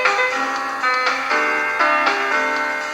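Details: Sanyo M7015 portable AM/FM cassette boombox after boiling its drive belts to tighten them: music plays at a steady pitch with no wobble, drag or speed drift; the tape transport sounds healthy.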